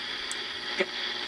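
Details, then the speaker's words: Inexpensive clock radio on the AM band: hissy background with a short scratchy crackle burst as the switch is worked. The dirty switch is the only fault; otherwise it receives stations well. "you can hear that that switch right there that's all is wrong with that"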